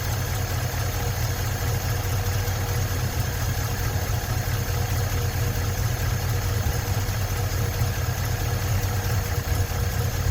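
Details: 1956 Ford truck, 45,000 original miles, running after 40+ years sitting: low steady idle rumble with no knocking or banging over ten seconds; normal idle, battery light on.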